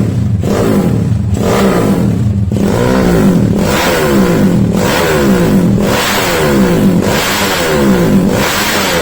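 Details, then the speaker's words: SND ZS190 engine, after replacing a snapped exhaust clamp, blipped but not at full throttle: revs climb and drop cleanly about once a second, no rattles or misses; healthy, still breaking in. "Oke, itu ya suaranya belum pol. Sekarang kita coba langsung di jalanan."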